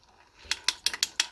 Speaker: as soon as I start speeding up I hear it the only thing I can think of is that uh foreign do see I do see some shininess right here where that Den is which may mean that it's hitting there